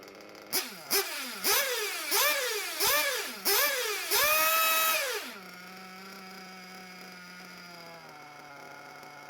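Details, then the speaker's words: Small RC nitro engine warmed to about 100 °C: after quick throttle blips it idles fine for five or six seconds, then the pitch steps down, a two-stage idle from carb tuning. "okay so the engine sounded fine and i don't know five six seconds there idling fine and then the revs drop so there's a two-stage idle"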